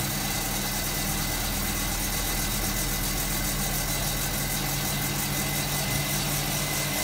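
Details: Hotpoint Supermatic De Luxe 9414 twin tub spin dryer on its final spin, new belt fitted so it is much faster and smoother: steady even motor hum at fast constant speed, no knocking, scraping or wobble; normal spin.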